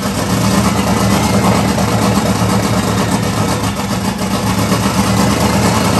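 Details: 1994 Mustang 5.0 V8, triple turbo, Holley Terminator X, high ram, Anderson N41 cam, open downpipe; first startup: loud, raw, uneven lumpy idle struggling to hold steady. Runs rough, needs serious tuning; owner suspected too much fuel.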